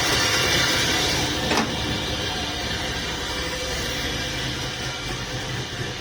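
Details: Volvo 240GLE fitted with a turbo LS2 V8, first idle after fuel system wiring and pressurizing, full single three-inch exhaust with tip connected, wideband unplugged, cold day: loud, deep, lumpy idle with even beat, settles and runs cleanly; normal idle.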